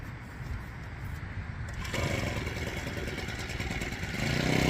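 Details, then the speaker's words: Four-stroke brush cutter that wouldn't start after storage, fuel mixed with about three cups of Bullsone Shot fuel additive, choke open: small catches after a few pulls, then a steady even buzzing idle with no misses; normal start and idle. "Okay, does it start? Okay? It started."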